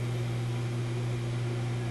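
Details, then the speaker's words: Yugoslavian-built Florida AM/FM/SW tube radio; steady low mains-pitch hum with no programme, persisting after attempted power-supply repair: mains hum, cause not yet found. "it's definitely the radio because i turned the tone up you can hear it more volume has an odd effect on it"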